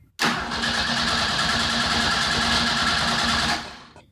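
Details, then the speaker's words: 2.3L turbo Ford sand rail engine, compression check after timing adjustment: fast, even cranking beat of about four pulses a second for three seconds with no weak strokes; compression good. "would say that's some dang good compression man"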